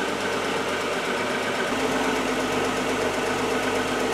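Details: 1997 Audi A4 Quattro 2.8 V6 after new timing belt and water pump; smooth even hum, no tapping, squeal or rattle. Normal idle.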